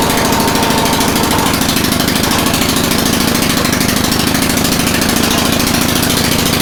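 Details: Snowblower single-cylinder engine, cold, on full choke after a no-start repair: a loud, steady, even chugging with no misses or knocks. It runs healthy and is back in working condition.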